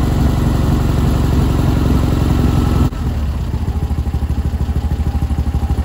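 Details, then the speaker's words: Engine with new CB Performance billet alternator pulley, belt out of adjustment shims: loud burst at start, then a steady regular chuffing idle about three beats a second, running healthy. "it seems to be the happy place"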